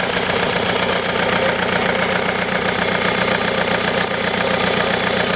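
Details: Used VW 1.9 TDI 1Z (AHU) engine, 74,300 miles, European, with AC compressor: steady, even diesel clatter at idle with no knocks, misses or hunting; normal healthy idle.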